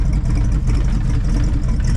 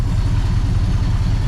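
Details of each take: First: 1966 Ford Fairlane Z-code 390 FE V8 with 4-speed, running after 20 plus years on a rebuilt Autolite 4100 carburetor: deep, steady, slightly lumpy idle rumble with no knocks, burning off oil while warming up before carburetor tuning. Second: 1966 Ford Fairlane Z-code 390 FE V8, 4-speed, rebuilt Autolite 4100 carb, first run in over 20 years, not yet adjusted: deep slow lumpy burble, nothing knocking; idle speed too low, small fuel leak noted.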